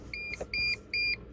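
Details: 2000-2006 T1N Sprinter (Dodge/Mercedes/Freightliner) that won't start: repeating high double-tone beeps with no cranking and a start error on the dash, often from the WSP/SKM immobilizer module, the ECM or the key chip.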